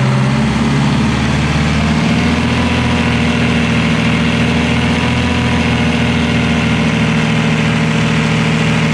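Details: Detroit Diesel 4-71 two-stroke, first run after rebuild with injector heights set and smoke gone: even, low drone at steady idle, no misses or knocks; running clean and healthy.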